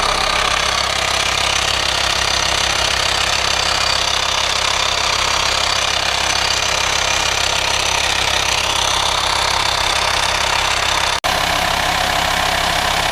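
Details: VW Transporter T5 LWB T32 2.5 diesel 6-speed camper van idling: a constant airy hiss over the clatter under the bonnet, suspected vacuum leak; not a pulley, as no auxiliary belt is fitted; source unconfirmed before the service.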